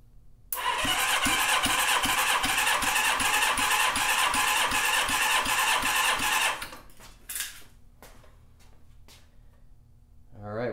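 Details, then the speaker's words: Honda CB550 four-cylinder after top-end rebuild, cold and not broken in, oil squirted in cylinders: even, strong cranking pulses about 158 a minute, last cylinder reads 170 psi; all cylinders improved (e.g. 97 to 160) and now within spec, healthy compression. "got 170 on that one. So all in all, everything increased. It's where it should be."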